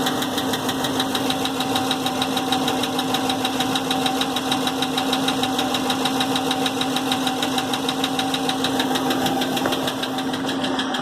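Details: 2016 6.4 Hemi at 23k miles idling: a regular sharp knock, roughly two a second, began 24 hours after a dealer oil change with fluids, gauges and warning lights normal, and stopped 24 hours later.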